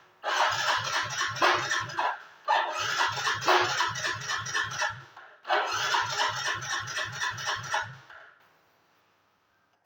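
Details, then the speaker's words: Yamaha Mio GT scooter that won't start; no MIL fault code and over 1 litre of fuel in the tank. Three starter bursts, chugging about four times a second, never firing: crank-no-start from weak fuel pump pressure. "Motor Mio GT ini tidak mau hidup kendalanya."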